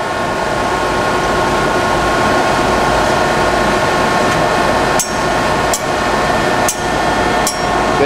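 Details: 1967 Gardner SDG3-30 double disc grinder, rebuilt 1995, with left and right wheel motors and work carrier running: a steady motor and wheel hum with light ticks about once a second from the part-ejecting flapper, which is normal.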